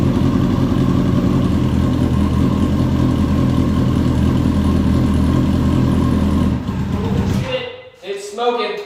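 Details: Hornet motorcycle, first start of a beginner rebuild, smoking heavily: uneven, lumpy idle with beats dropping out irregularly before it dies. Rough idle with misfire; owner suspects the idle adjustment knob needs tweaking.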